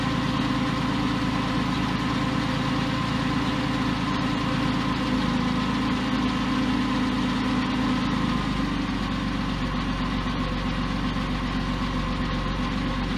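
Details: Porsche 911 996 C4S M96 flat-six idling months after earlier ticking, no repairs made; steady, even idle with smooth low hum and no valvetrain tapping. Owner attributes earlier tick to a sticky lifter. Normal idle.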